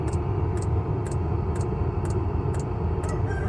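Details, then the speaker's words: Newly installed 8000 BTU Vevor Chinese diesel heater in a truck camper, 5-gallon diesel tank, inline fuel filter, exhaust under the truck: steady low combustion roar with the fuel pump ticking about twice a second; running normally and quietly. "You can hear the fuel pump ticking. Yeah, it's got a little fuel filter in line."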